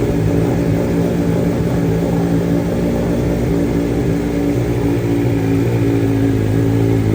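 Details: 2023 BMW M1000RR Competition with mods and fresh ECU flash, first start from cold: low, even idle burble with steady pitch, no pops or raspy sound, quieter than stock; normal idle.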